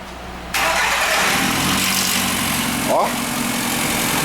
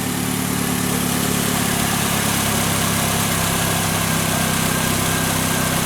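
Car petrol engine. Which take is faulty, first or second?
first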